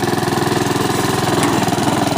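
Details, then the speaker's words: Honda HRX217 mower after repair of the right rear axle support, which the customer said was grinding. Self-propelled drive test: even small-engine putter with steady pulses, no grinding or scraping underneath. Drive working normally. "we go working great goals are working fine there's no law here no joke ain't kind of grinding sounds on there whatsoever now so it's working great and it's ready to go back to the customer here"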